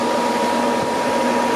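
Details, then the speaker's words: Newly installed cheap aftermarket electric cooling fan on a BMW E36, switched on with ignition: even steady whir and low hum, no rattle or pulsing; strong enough to spin the clutch fan, working normally. "Yep, so the fan kicked in there, and you can hear it kind of going"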